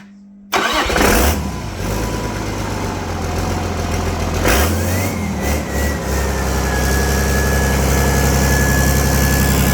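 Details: Volvo Penta KAD42 diesel, first start after complete rebuild with new cylinder liner kit: cranks and catches cleanly, settles into even, steady idle with smooth low rumble, no knocks; normal idle.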